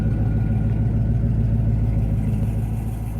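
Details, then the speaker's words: 1996 Corvette C4 Collector Edition, 35K miles, LT4 V8, ZF 6-speed, just started after reluctant firing: deep steady rumble, about three and a half even pulses a second, easing slightly as it settles into cold idle. "Well, there she is. There, she's trying to idle now nicely."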